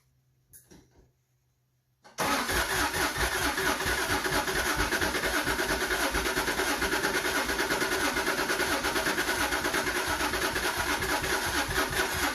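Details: Subaru SVX on a marine starter battery, after snugging the second cam sensor: starter spins the engine in a steady, even churn for ten seconds, never catches; crank no start, later traced to a faulty ECU.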